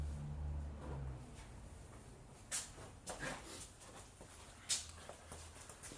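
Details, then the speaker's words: Audi C6 A6 with wheels off the ground: irregular sharp creaks and squeaks while the steering is turned; control arms found split and sway bar links destroyed. "listen to the squeaking / roaming noise from the suspension when I turn ready go"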